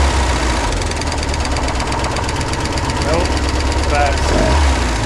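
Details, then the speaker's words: Budget boat engine, reassembled after failing at sea trials, run in the shop with water on: a ticking returned and turned into uneven, intermittent knocking about three per second. The owner suspects one or two bearings were destroyed again. "Alright guys, I'm sure you could hear it on the video, but the ticking came right back and it turned into a knocking and it's coming and going, so I think we re-destroyed a bearing or two."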